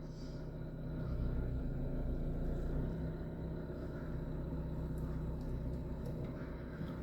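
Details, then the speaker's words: Isuzu D-Max 1.9 diesel, 104,000 miles, on road test after a low-oil crank-no-start: steady low rumble under road and wind noise, no knocks or misses; running fine. "no it's currently running absolutely fine huh"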